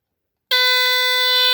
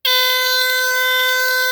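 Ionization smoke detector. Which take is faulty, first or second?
second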